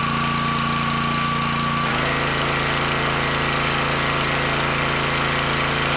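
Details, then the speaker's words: Pressure washer that would not let off high pressure when the wand trigger was released; owner suspected the unloader valve. Steady engine drone, then the note shifts cleanly at about two seconds on the trigger; pressure bleeds off normally now. "it actually does seem to be working i don't know what happened it was stuck for a second now i can actually see the valve moving and that's the way it's supposed to shut down"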